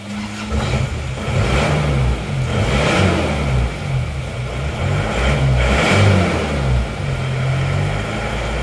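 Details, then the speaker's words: Isuzu Panther diesel after tune-up with fuel filter change, valve adjustment and nozzles refitted; it previously shook and died when revved: fires and settles to a steady low clatter, revs rise and fall cleanly without stumbling or dying; running healthy. "Ini sekarang kayaknya sudah nggak mati-mati ya. Kita gas-gas. Kalau tadi digas gini langsung goyang-goyang terus mati. Sekarang sudah nggak lagi setelah kita ganti filter solar ini."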